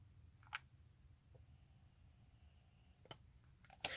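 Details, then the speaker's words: Modded Game Boy speaker, heard by ear, is nearly silent with only a faint hiss, weak high tones and a few handling clicks; noise is audible only with the ear right against it, a normal quiet noise floor. "pretty quiet I would say if you get your ear right up against it you can definitely hear some noise but not too bad"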